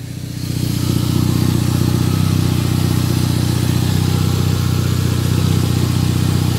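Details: Toyota Caldina ST215 3S-GTE with Link Storm ECU, earth faults fixed, first start after two years parked: steady, deep, even idle hum holding constant, no misses or knocks; normal idle; still needs water hose fix and oil change.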